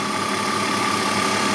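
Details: BMW 325ti E46 Compact inline-six: steady, even idle hum with a faint constant high whistle, no knocks or misses, normal idle.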